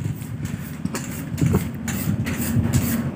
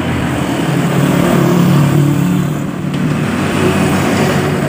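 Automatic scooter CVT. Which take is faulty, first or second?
first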